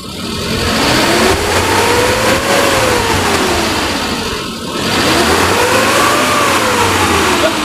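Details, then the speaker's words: 2006 Suzuki Carry Futura pickup, carbureted, engine already warm, in neutral: revved twice to about 4000 rpm. Revs rise and fall cleanly with no rattle or misfire, and the engine stays smooth. Normal engine revving. "udah geber ke RPM 4000 tapi suara masih tetap halus ya masih tetap enak"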